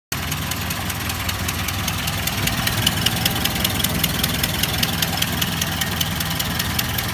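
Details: Ford Model A at idle: a sharp, regular tick-knock at about 2.5 per second over a lumpy idle, gone with the spark advanced or cylinder #4 shorted; an exhaust manifold gasket leak, disintegrating at the rear, and replacing the gasket cured it.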